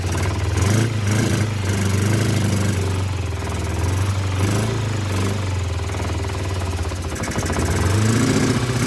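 Engine runs lumpy and uneven at idle, the beat stumbling and surging instead of settling; it's flooding and barely keeping itself running.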